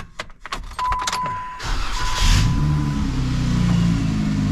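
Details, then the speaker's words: Supercharged Jeep Wrangler idling before muffler removal, exhaust dented on a rock and rattling against the frame: after handling clicks, a steady even low idle burble with no knocks; exhaust sounds normal. "So she sounds normal. It's a normal Jeep, right? It's just, there's the exhaust."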